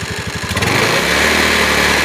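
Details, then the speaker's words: Honda Beat eSP (K81H/K25G) scooter after an ECU service and reset, a light throttle blip from idle: the quick popping idle picks up cleanly into a smooth rising drone; normal light-throttle rev. "Ini kondisi stasioner ya teman-teman ya, atau langsam ya. Coba kita gas sebentar ya, sedikit aja ya."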